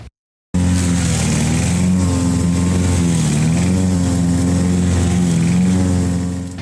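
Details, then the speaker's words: Honda GX120 engine on a Rol-Air air nailer compressor after full service (carb, valve check), running at max pressure around 120–130 psi: loud steady single-cylinder thrum, even firing with slight load dip and recovery, no knocks or misses; runs fine. "all right that should sweeten it up okay she's running fine"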